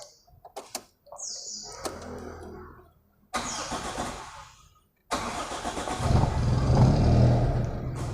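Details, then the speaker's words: Daihatsu Charade Classy/Winner, original and complete engine: a couple of short cranking attempts, then it fires into a steady, even idle with no knocks or misses; healthy start and idle, though the tachometer needle does not move. "Nah ini suaranya masih halus mesinnya teman-teman. Ini masih originalan, masih semua komplit."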